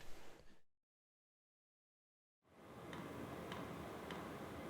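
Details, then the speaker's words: VEVOR 5 kW diesel heater running in a garage: soft, even ticks about twice a second over a steady fan rush from its inline fuel pump, which normally ticks faster as the heat is turned up. Normal pump ticking. "So yeah there's some kind of inline pump and you know you'll notice that the cadence of that inline pump will increase you know with each pump it sends more diesel fuel through the system."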